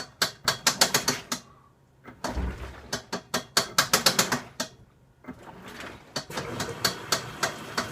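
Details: Washing machine making an abnormal noise: bursts of sharp, fast mechanical clicks and rattles in uneven runs with short pauses; abnormal clicking from the washer, cause unknown.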